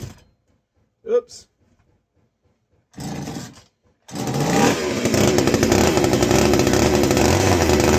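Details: Castor 330 Antivib chainsaw (rebranded Alpina), before teardown: a couple of cord pulls, catches and settles into a strong even two-stroke rattle, no misses; sounds like a strong runner.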